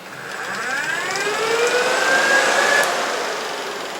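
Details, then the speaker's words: Car radiator fans test-run by touching two wires together, temporary wiring awaiting a switch: rising whirring hum spools up and holds steady with a smooth airy rush, blowing strong air; fans work normally. "works you don't want to hold it too long because it's cold in here and these fans work and so even here I'm starting to get a lot of air blown into me so anyway that's a really good sign"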